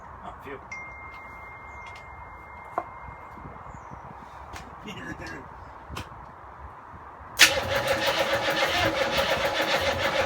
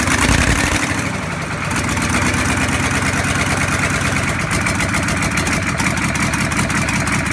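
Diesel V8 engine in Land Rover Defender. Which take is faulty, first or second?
first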